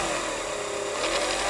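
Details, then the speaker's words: Revere 85 movie projector motor, 110/120 V, being oiled: steady whine drops noticeably in pitch under light hand drag, motor bogging with almost no load; owner suspects worn brushes, not confirmed. "I'm not really pressing hard so the motor isn't very strong I'm probably going to say that the brushes are bad"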